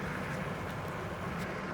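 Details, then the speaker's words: 1750 W 20-inch all-wheel-drive ebike, 75 lb, on front motor only under throttle, feathered at start: steady low droning hub-motor hum over wind and road rush, louder than expected but no drag or scraping; part of the noise is the front tire straining under torque. Normal. "motor hub is a little bit louder than people saying but i don't mind and the wheel one thing about this there's no drag even with that noise it sounds like it's dragging the other part of that noise that's the front tire hanging on for dear life because of the torque"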